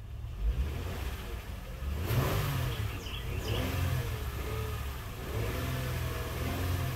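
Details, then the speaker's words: 2006 Honda Odyssey towed in, won't move; in reverse engine revs climb and sag while drivetrain barely grabs, no firm take-up; transmission slipping, suspected clogged cooling line filter, third gear drum common failure, rebuild planned. "barely grabs so she barely grabbed some of us"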